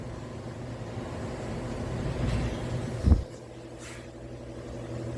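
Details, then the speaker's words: 2019 Toyota Corolla, steering rack play: one dull clunk over a quiet idle as steering is loaded; worn, loose rack; replacing another part did not fix it. "Folga na caixa direção. Olha a folga apresentando essa cremaleira, hein?"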